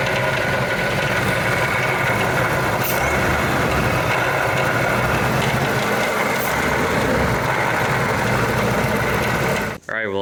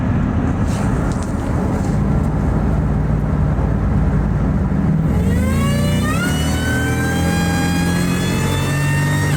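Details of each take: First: 2001+ Ford SVT Lightning with a rebuilt Eaton supercharger, installed the previous summer, that developed a noise over July–October; loud rough roar with a gravelly uneven rasp; failing supercharger, cause unconfirmed, to be replaced. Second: Ford SVT Lightning (2001+) V8 pulling hard with a used, hand-ported 1999-2000 Eaton supercharger replacing a failed, noisy rebuilt Jokerz Eaton: clean whine rising through each gear, no rattle or grinding; blower sounds healthy, far quieter than the old unit.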